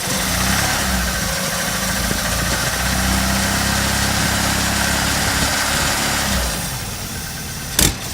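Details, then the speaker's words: Opel Manta engine with timing belt moved one tooth forward: runs rough with stumbling misfire beats under throttle, then idles; misfire from incorrect cam timing, so belt goes back. "Sounds nicer though. Yeah, misfire."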